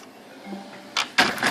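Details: Magicolor 2400w laser printer, cover off, powered on after its solenoids were serviced for a Service Call 15H error and the gears greased: a low, quiet mechanical murmur with a few short clunks and no grinding. It is much quieter than before; normal warm-up.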